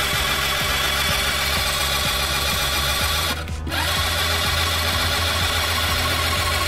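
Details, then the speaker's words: Italika TRN150 scooter that stopped starting, spark present, no engine oil; starter whirs fast and even with no compression pulses, not a starter or bendix fault; timing chain failure leaves no compression. Fix is timing chain replacement. "vieron se oye como un carrito de fricción No se oye sin nada de compresión pero en este caso no es la marcha no es el bendit"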